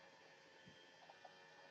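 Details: Brunt Blind Engine smart blind motor lowering a blind: soft, even high-pitched hum with no knocks or strain while lowering; motor runs smoothly downward, though it struggles to lift about seven pounds despite a fifteen-pound rating.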